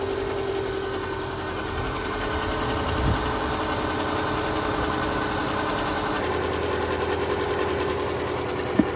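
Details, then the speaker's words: Subaru EJ25 flat-four, neighbor's recently bought car with reported coolant leak after a blown radiator hose, idling as it warms to check temperature gauge, suspected head gaskets: uneven beat with faint stumble, misfire at idle; quick tap on startup also noted. "I also pointed out a bunch of things like that he didn't seem bothered by that at all, but that's going to blow and leave you on the side of the road. See the misfire."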